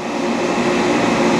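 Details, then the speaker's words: Dainichi Model H lathe, spindle just started on its DC drive; ways in great condition. Even, steady hum with a smooth tone and no knocks or grinding: normal spindle running. "let's start the spindle very smooth running machine ways are in great condition you can see that"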